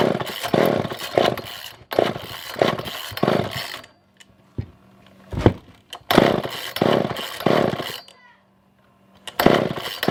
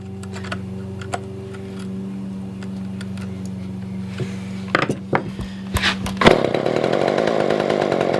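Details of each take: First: Older Poulan 2000 chainsaw, unused for a long time, choke on: fires in short revving bursts that fade and die every few seconds; suspected poor fuel pickup, later fixed by carb clean and shortening a tangled fuel line. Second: Older Poulan 2000 chainsaw after a no-start, fixed by carb clean, adding fuel and shortening a tangled fuel line: steady, even two-stroke idle drone, then throttle blips opening to a strong full rev; running properly.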